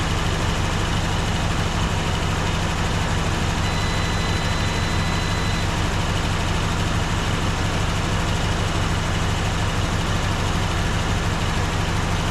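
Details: 1954 Dodge Coronet Suburban two-door wagon, Poly V8, first start after 42 years in a garage, about 35 lb oil pressure, fuel pump running, no leaks: loud, deep, smooth, steady idle with no knocks or misses.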